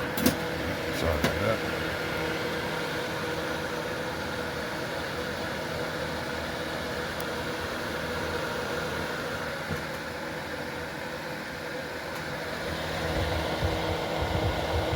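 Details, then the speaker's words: Late-1980s/early-1990s Lakewood model 767 space heater (120 V, 1500 W), back cover off, fan motor bearings freshly oiled: even steady whirring hum, no scraping, squeal or rattle; motor spins freely. "So, it seemed to loosen it up and still spins very freely."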